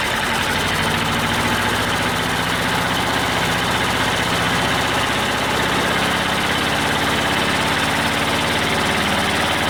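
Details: Old Detroit Diesel two-stroke four-cylinder dozer, warmed up after the Bon Ami cleanser trick, with a steady idle but an uneven, lumpy beat. Two of four cylinders are still dead (compression was 150/90/0/0).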